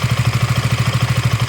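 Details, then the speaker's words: KTM Duke single-cylinder engine at idle: even thump with a faint, light metallic tappet tick, normal and common to KTM and Bajaj engines; a loud rattle would instead suggest a loose chain tensioner or valve clearance problem. "ये हल्की metallic sound normal है। ये टेपेट्स KTM की character है जो KTM के engine और बजाज के इंजन में कॉमन है।"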